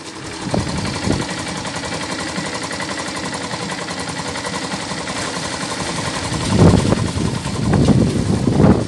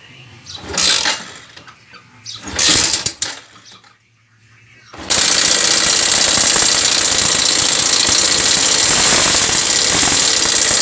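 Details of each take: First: Yamaha SZ 150 single-cylinder after timing chain and tensioner replacement, broken compression release removed and weights stopped: smooth idle without bottom-end knock, clean throttle blips rising and settling. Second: Yamaha SZ 150 single, timing chain and tensioner already replaced, running with a fast, harsh metallic top-end clatter: broken compression-release (decompressor) stopper lets the weight strike underneath, leaving scratch marks.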